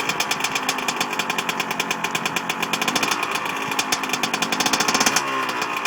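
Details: Small two-stroke, first start after rebuild on the first kick: crisp, rapid, even popping that settles into a steady, clean run. Normal running.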